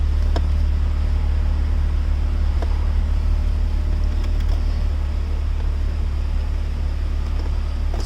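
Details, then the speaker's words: Chrysler Crossfire starting and running after the SKREEM immobilizer and ECU were resynchronized; drive authorization shows immobilizer not active and start enabled. The engine catches and holds a deep, steady drone without stumbling or knocking, running normally. "Sounds good. The SKREEM and the ECU have been remarried by ECU team."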